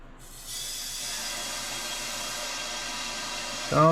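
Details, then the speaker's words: 1979 Chevy small block, likely 350, cylinder leak-down test with the piston at the bottom: steady strong hiss of air escaping out the exhaust, showing a severely leaking exhaust valve, possibly held open by carbon. "the air is going right off the exhaust so that's telling me our exhaust valve has a severe leak in it so that's not good"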